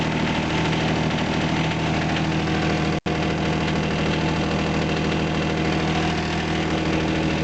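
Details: John Deere 455 diesel tractor, cold start at about two degrees after glow plug heating: even diesel clatter at a steady idle with no misses or surging; running fine.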